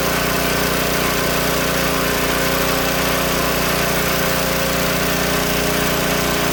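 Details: Old Tecumseh-powered generator revived after years outdoors in rain and snow; loud even drone holding steady speed, no misses, surging or knocks; only needs a little carb tuning once warm; outputs 115 V; normal running.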